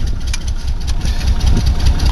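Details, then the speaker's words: Nissan Pathfinder with a large gasoline leak from a fuel line, main or return unclear, barely starts: uneven lumpy idle with a wavering beat, missing badly from low fuel pressure; rough idle. "now if you're picking this up it's missing like crazy doesn't have the fuel pressure to stay running"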